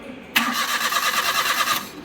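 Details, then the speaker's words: Maruti A-Star with cylinder 1 misfire (P0301) from a loose spark plug and damaged coil, after the plug and coil work: the starter cranks evenly but the engine never fires and no light shows. Mechanic suspects a blown ignition fuse from touching wires. "Light भी नहीं ए रही है ना तो हो सकता है इसकी वजह से क्या होगा फ्यूज उद गया होगा"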